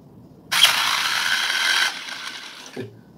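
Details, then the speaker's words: JJRC X17 drone after an apparent crash, motor lacking power: short, harsh, rasping whir as it spins up; physical fault, dirt inside the motor. Grinding motor. "eu falava com os meus alunos numa aula dessa semana a respeito desse tipo de alteração essa aqui é de ordem física né sujeira"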